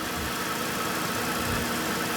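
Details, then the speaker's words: Car just jump-started from completely dead battery with a JumpSmart flashlight jump starter pack, left running: steady, even idle with soft low throb, no knocks or misses; normal idle. "That thing worked great. All right, let it keep running for a minute."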